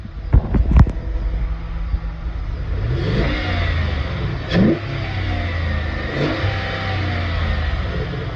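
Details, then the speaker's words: 2010-18 Ram 1500 after installing a K&N 63 series cold air intake: deep rumble rising and falling through several blips, with added intake roar and air audibly coming in on each rev; runs clean, normal. "So as you can see, it has a little bit of a rumble to it. You can definitely hear the air coming in."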